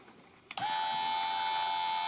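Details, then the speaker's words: 2006 Audi A3 Sportback 2.0 rear left window regulator motor: a click, then steady even hum with no grinding; motor runs fine, only a dirty seal was at fault, gears unbroken. "Donc oui, il marche très bien. Il n'y a pas de bruit anormal."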